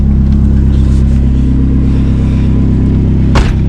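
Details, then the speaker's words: 1999 Dodge Neon with a swapped-in 2.4 SRT-4 turbo engine, first start after winter storage and the swap: strong, steady low idle with an even beat and one brief thump; normal cold idle while warming up. "I'm gonna let it warm up a little bit before we get crazy on it."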